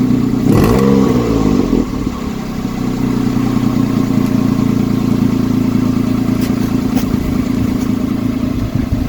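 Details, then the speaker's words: Citroen C1 petrol with new exhaust back box fitted unclamped: cranks, catches and idles with faint puffing tick each pulse; leak at the joint intended for welding. "yeah as I thought we've got a bit of a leak around that join where I said I wanted to weld it so I think I may do something with that"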